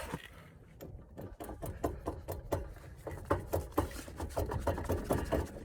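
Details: Hard clunks, two or three a second, as the jacked-up wheel is rocked by hand: play in the hub from a worn wheel bearing.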